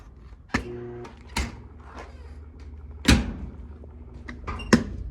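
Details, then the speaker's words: Old clothes dryer, ground screw just connected: brief electrical hum on power-up dying within half a second among dull thumps; motor locked up and won't spin freely, heating-element wires also corroding. "The motor is locked up for some reason. It doesn't want to spin freely."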